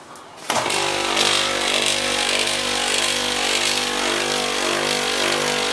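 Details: Copeland ZB42KCE scroll compressor on milk-tank condensing unit, restarted warm after being found not pumping: kicks on with loud harsh rushing roar well above normal; noisy compressor.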